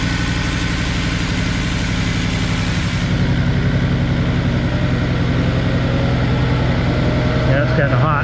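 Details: 2000 Jaguar S-Type 3.0 V6 with multiple misfire codes, running: uneven, lumpy pulse at about 220 a minute under a loud screaming cooling fan; one cylinder not firing, number five cylinder suspected.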